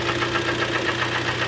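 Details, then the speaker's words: Kia Sportage G4KD, front-wheel drive, 113k mileage: heavy rapid knocking at idle, sharp even taps over the engine; piston slap from scored cylinders, not timing, repaired by sleeving the block. "сегодня у нас парте брякает лягается поршневая понятное дело задиры ребята такой звук только поршня издают"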